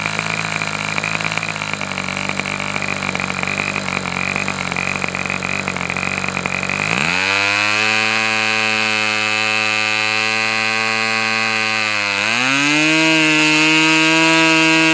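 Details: Customer's Fox twin-cylinder glow engine run outdoors as it cools off: high, clean buzzing note, steady and crisp, climbing smoothly through two throttle steps without stumbling; healthy twin.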